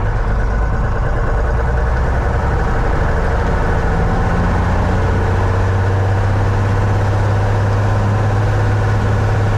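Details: 1961 Cessna 172B after a six-month restoration, first run-up outdoors in winter cold with snow: a deep, steady full-throttle roar with no misses or surging, while the plane slides on slippery snow; healthy.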